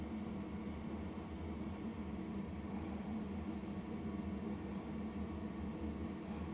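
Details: LF Bros 5KW diesel heater just kicked on, room about 80°, warming up: steady low blower hum with soft even combustion rumble, no knocks or surges; loud during heat-up, expected to quiet at temperature; normal.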